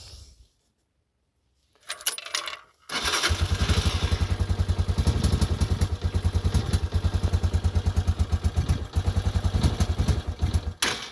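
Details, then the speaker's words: 2022 Honda CG125L single, cold engine just started on half choke, running lumpy: a sharp top-end hammering knock is heard over the steady beat. Cause unclear. "I hope you could hear that hammering um over the lumpiness of the running on full choke"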